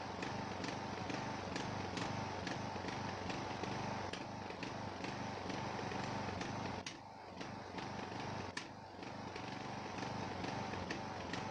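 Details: Ariens 42" geared riding mower, 17.5 hp Briggs & Stratton (31C707), Nikki carburetor, long neglected; after new fuel filter and fresh gas, fuel flow fine: chugging about four beats a second, wavering and dipping, smooth only at certain throttle positions; carburetor suspected, unconfirmed.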